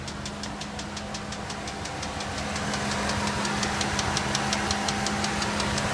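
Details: Ram 4.7L at idle: steady light ticking (~167/min) over an uneven idle, with a misfire on cylinder 7. New plug, motor flush, rockers and lifters looked fine; #7 compression 70 psi vs 150 psi elsewhere. Suspected bad valve seating or spun rod bearing.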